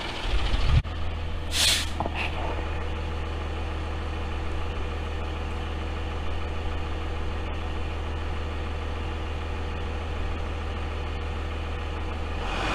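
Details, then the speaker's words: Freightliner FL70 diesel idling with a new Donaldson 4-inch exhaust off the turbo; gray smoke clears once warm: a deep, steady, even drone with no knocks or misses. Normal running. "if you were to turn around and not look at the truck and hear it idling it would sound just like a dodge pickup or you would think it was a dodge pickup so once it warms up the gray smoke goes away"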